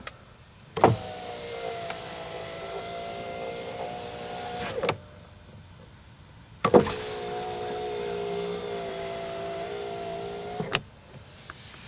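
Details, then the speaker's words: 1991 Mercedes-Benz 420 SEL rear power window after a new plastic regulator jaw and a new switch were fitted and the door reassembled: smooth, even motor runs with firm stops, nice and quiet, now working normally. "Nice and quiet."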